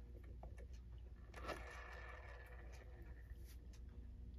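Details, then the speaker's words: Sessions Electric clock from about the mid-1930s with a Hammond manually started motor, after repair and reassembly, plugged in and started: a soft, steady low hum with a few light handling scrapes; it is running smoothly and quietly. "it's running. And it's running quiet."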